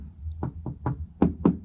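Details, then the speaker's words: Tapping the repainted body of a classic VW (1966 Beetle or 1984 Vanagon) where the paint is cracked and bubbling: upper taps ring, lower taps thud dully. Thick body filler (Bondo) under the paint instead of metal. "This is Bondo that's been cracked and it's starting, the paint was bubbling, and so this filler under there, you can hear it."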